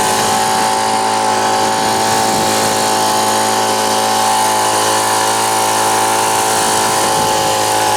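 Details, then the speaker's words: Old Ryobi RSV 3100e two-stroke leaf blower, both carb mixture screws seated then backed out two turns: steady high buzz at one speed without rise or punch; weak blowing, owner thinks too much fuel, blows almost nothing. "je crois qu'il y en a trop poquet desmur tourne pas ce qu'on a soufflé là on a rien"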